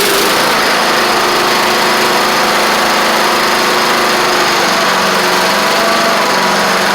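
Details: Troy-Bilt Horse XP riding mower with a new replacement engine, running, driving and cutting after a little trouble cranking. Loud, steady single-cylinder drone with the blades engaged and no knocks, misses or surging; runs normally.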